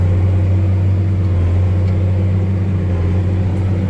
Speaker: He tightened all those cuz there was a couple of them loose. So, and now it seems to be working fine.